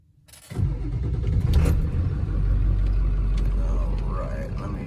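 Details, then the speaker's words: OBS Ford 7.3L diesel truck, early-morning cold start about a month after installing rebuilt injectors: cranks briefly, catches quickly and settles into a steady, even idle with no stumble and no smoke; the repair succeeded. "So Let's go ahead and crank it up. Let's see what all happens here."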